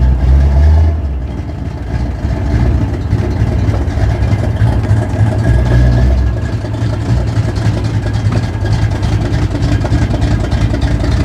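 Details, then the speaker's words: Date-coded 1969 383 HP V8 in a 1969 Plymouth Road Runner, cold start at about 31°F after sitting, possibly on a weak battery: started right up into a deep, steady idle with an even lope and no knocks, ticks or misses. Runs very good. "oh why are we doing this again it runs so good it runs very good the Road Runner run good with it"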